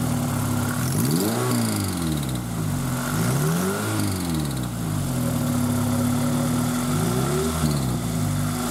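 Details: Toyota MR2 Spyder with replacement 2ZZ engine at idle and revs: light fast ticking rising and falling with revs, present since purchase when cold, fading after a minute or two of driving; owner suspects valve clearance, valve train noise unconfirmed.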